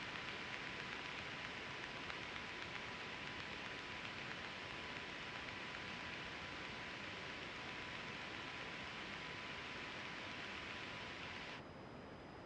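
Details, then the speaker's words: Aircraft radio hiss with a thin constant high tone that cuts off cleanly, heard only on 123.0 and also at home base; fixed once before at high cost; owner believes it is a squelch setting but is unsure. "Yeah, it seems that 123.0's always got that noise on it. I've had that fixed once before. It's just a squelch setting apparently, but not quite sure what it's all about."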